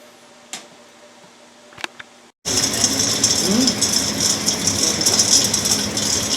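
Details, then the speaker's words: Axeman-Anderson 130 coal stoker heating a Mahoning 500 wood boiler, one week in, boiler 170–175°F, draft -0.02 to -0.04: quiet, then steady rattly mechanical whir with bright hiss, even and unbroken; normal running cycle. "there it is it's running we're sitting here watching it very entertaining"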